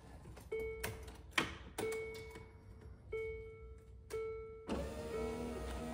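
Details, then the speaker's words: Land Rover Discovery 2 power window after fitting 3D-printed regulator rollers and cleaning the motor: short even motor whirs with clean stop clicks, no grinding or straining; normal operation. "I mean that sounds better wow oh yeah look at that"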